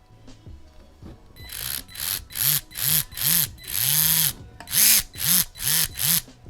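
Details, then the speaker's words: Traxxas TRX-4M crawler with new stainless 40.3:1 crawl gear set, before greasing: loud metallic whine in bursts rising and falling with throttle, present down to first gear contact; dry stainless-on-stainless meshing. "So I pulled it back apart, and it makes that noise clear down to the first contact, like the first gear that it makes contact with."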